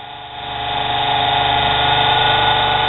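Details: Lathe at full speed after burned-brush motor repair and new Gates belt: motor whine climbs smoothly then settles to a steady high pitch with even belt hum; normal running.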